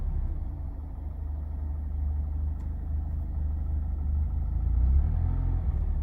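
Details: 2019 Mazda Miata ND2 in limp mode with smart city brake malfunction warning and misfire: idle keeps surging up and down with no pedal input; surging idle, cause unknown.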